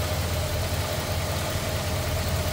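Smooth, steady low V8 idle with an even burble and no knocks or misses; engine sounds healthy.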